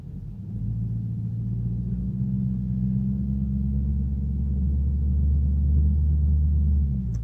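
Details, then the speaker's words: Infiniti M56 V8 with sport muffler on a warm day, 84°F outside: deep smooth steady idle rumble with no buzz at all, supporting owner's theory that the 1000 rpm buzz depends on temperature. "you've noticed there's no buzzing at all so it goes with my theory"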